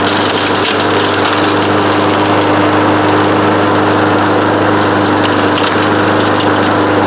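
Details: Free older Craftsman EZ Walk self-propelled mower with Briggs & Stratton engine (7 ft-lb gross torque): small single-cylinder runs at a steady, even pace with constant hum, no misses or knocks; healthy running.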